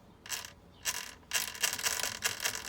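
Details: Arrma RC (Kraton/Talion/Outcast/Typhon) differential turned by hand: dry, fast ratcheting clicks in bursts, suggesting rough, poorly meshed gear teeth; shimming gear spacing is stressed, and the unshimmed stock front showed a bigger gap. Cause suspected.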